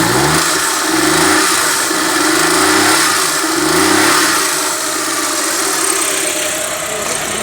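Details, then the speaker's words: Suzuki Mehran after fixing a no-start caused by no petrol reaching the engine, with the fuel pump repaired and the pipe refitted: it starts and settles into a steady, even idle with no misses. "बेहतरीन अब काम दे रही है। ये देखें, अब कोई मिस्टेक नहीं है इसके अंदर।"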